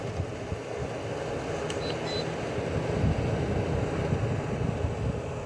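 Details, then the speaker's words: LG 6,000 BTU window air conditioner, cycling fan modes low, medium and high: steady, even rush of air with low hum underneath, no rattles or surges; fan running fine on high, relays click when changing speed. "so his fan mode f1 is low f2 it's medium f3 it's high"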